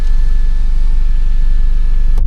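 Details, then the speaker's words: Crash-damaged Mini John Cooper Works being rebuilt, warming up at idle after a fuse problem was found and it hadn't run properly in ages: steady, even low idle with smooth regular firing and no knocks or misses; normal idle. "So I'm just gonna let the car warm up a little bit, just because it hasn't ran properly in donkeys."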